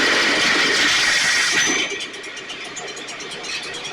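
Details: STIHL backpack blower (believed 6R450), new air filter and spark plug fitted, recoil off. Two-stroke screams high then sags and drops away unevenly, idle won't hold; runs lean, needs occasional choke; a little water found in tank.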